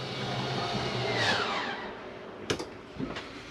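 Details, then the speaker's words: Flagstaff 27BHWS travel trailer slide-out retracting: steady electric motor whirr that sags in pitch as it pulls in, then a few clunks as it seats. A grinding-like sound from the mechanism stopping the slide coming in too far is normal. "once you hear that noise it's okay to hear that that is just a slide mechanism keeping itself from coming in too far sounds like it's something grinding but it is not"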